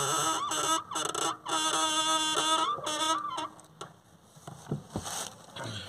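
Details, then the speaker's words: Honda Amaze clutch pedal: repeated high, dry creaky squeals, about two a second, as the pedal is released slowly. The fix is lubricating spray or a few drops of oil on the clutch pedal push rod. "इस तरह से आवाज़ दोस्तों आती है clutch pedal धीरे धीरे छोड़ने पर, तो आप उसको किस तरह से दूर कर सकते हैं आज की वीडियो हम यही बताने वाले हैं।"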